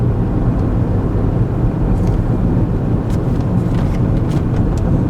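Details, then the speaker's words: Front-wheel-drive car under 2005, driven over bumps with the microphone inside the cabin during a pre-purchase inspection: only steady low road rumble, no clunks or rattles from the front end; quiet front suspension. "I'm hitting a few bumps intentionally hitting these bumps to see if the front end is out of align out of alignment or wore out you'll hear it Clank around it's nice and quiet in here"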